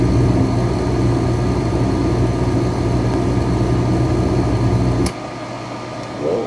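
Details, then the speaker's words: MH-80-OFR kerosene/diesel heater: the fan runs, the spark ignites and fuel kicks on, but it shuts off unless bright light shines on the photocell; with light it holds a steady burner roar; failed photocell (flame sensor). "fans on you can hear the spark the fuel kicks on you can see right there the gauge you see the light up on the top you can see it stops the fuel kicks off"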